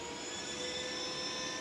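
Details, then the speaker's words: 2005 Yamaha R6 project bike hot restart, fuel line run without return: steady airy whoosh with faint constant whine, no pulsing; radiator cooling fan running normally, though another rattle below is still suspected. "that's the noise I was here and I was like what the hell is that noise it's the fan"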